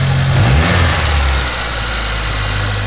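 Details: Turbo 4G15 Lancer after fuel pump and tank reinstall, fuel pressure good: deep, even idle with a steady low throb and no misses or knocks; clean, healthy idle.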